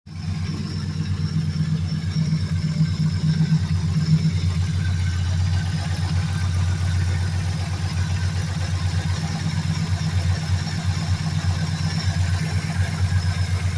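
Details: 2003 Mercury Grand Marquis LSE with 5.4 3V swap (11.7:1 compression, Trickflow heads, Stage 3 cams, long-tube headers, Melling high-volume oil pump, 2.5" exhaust) idling with a steady deep burble and dull rhythmic bottom-end rod knock.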